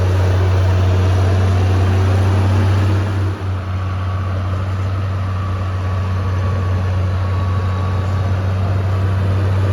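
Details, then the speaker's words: Vintage Allis Chalmers TL-14 loader diesel, warmed up after about half an hour of snow plowing: steady, deep drone at a fast, even pace; idle too high, screw needs turning down slightly, though lower setting won't keep it running cold. "I'm gonna have to turn that idle screw down just a hair. I haven't quite figured that one out yet. After about a half hour or so, she gets to running real good and settles in and needs to back off on the idle."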